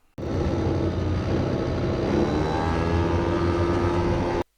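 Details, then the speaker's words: Hot scooter with variator, uphill launch before the fix: a low, labouring buzz whose pitch rises only slowly, bogging instead of pulling away with rpm staying low at the start; cause suspected, not confirmed. "Ja tässä on vielä tämmöninen kiihdytys. Tuossa alussa on ylämäki, eli se joutuu lähteä ylämäkeen liikkeelle."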